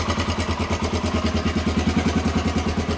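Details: 1993 Honda XR250L single-cylinder dual-sport, running again after sitting two years and a battery swap: steady, even thumping idle at constant rate, no misses or extra clatter; smooth, healthy idle.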